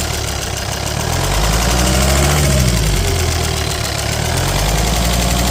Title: volvo xc90 d5 185hp popping noise .pcv or lifters?